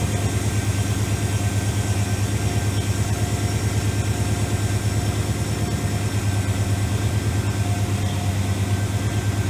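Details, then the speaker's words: AMC 401 V8 in a Jeep YJ with headers, after heat-soak and oil pan leak work: warm-up idle with oil pressure at 60 and 14.4 volts charging; even, deep idle, steady firing, no knocks or ticks, running healthy. "60 and she sounds good my shop's kind of a disaster right now"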